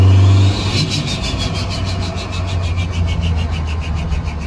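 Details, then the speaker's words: Turbocharged engine test drive after a rebuild; it previously had the wrong rings and ran 30+ psi boost: a steady, low drone under load with smooth pulling and no knocks or rattles. It drives fine and spools fine. "Right, so just took it for a little test drive, and yep, all is as good or better than ever."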